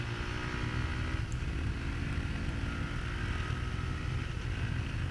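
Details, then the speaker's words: Honda CRF450R four-stroke after carburetor jetting and accelerator pump tuning: steady even exhaust note, crisp sharp throttle response, no misfires. "So you can hear the accelerator pump there that we tuned also. Real crisp, sharp, very sharp"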